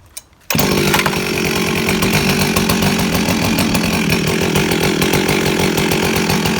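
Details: Rebuilt Husqvarna 357XP chainsaw with exhaust muffler mod restarted: fires first pull and holds a strong, steady buzzing idle with no stumbling or surging; sounds healthy.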